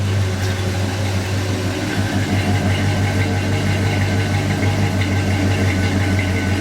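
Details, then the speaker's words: GMC truck's 305 V8 running a final time before removal for a turbo six-cylinder swap: deep, even burble at steady idle, no misses, knocks or ticks; healthy engine. "the last time you hear it run with a v8 yes sir"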